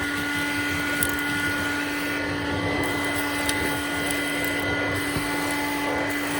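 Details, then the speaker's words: Hoover Dial-A-Matic Model 1136 clean-air upright vacuum (840 W, 7 A motor), suction control set to high, hose test: steady high suction roar with fixed hum and thin whines, no knocking; motor sounds dry, owner says it needs re-greasing. "Cosmetically, this vent here is starting to collapse, and the motor sounds like it needs to be re-greased."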